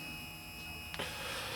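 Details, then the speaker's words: AMH23-258-3 eight-wire stepper motor, rated 4.2 A in parallel, wired in series and drawing about 1.5 A, running at 20 volts; it makes a noise at lower voltage. Quiet, steady high whine, faint hum, one light click, smooth stepping: normal running. "and it's running pretty good sounds good"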